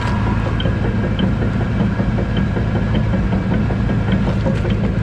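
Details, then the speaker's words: Truck idling in neutral after a loud pop while driving: low rumble with faint light ticks about every half second; owner suspects something in the rear end popped, transmission works, truck drove normally; source unconfirmed. "So it's definitely in this right in here. That's gotta be it, right in there. Sound good though, but it was riding fine on the way back though. It was just making that noise, but it was like riding normal."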